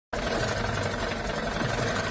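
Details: Tata Tiago engine idling with an uneven, stumbling beat from a cylinder misfire.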